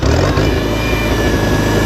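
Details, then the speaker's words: 1966 International Farmall Cub tractor with carburetor rebuilt 5-6 years ago, running at full throttle, about 1800 rpm: steady, even high-rev drone with no knocks or misses; normal healthy full-throttle running. "They run about 1800 RPMs, full throttle."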